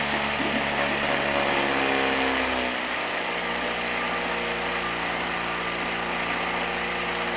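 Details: 1967 Merc 60 6 hp two-stroke twin outboard, likely decades unused, pulled from trash: wavering, uneven note that shifts and sags before stalling; air leak causing rough running, later plugged.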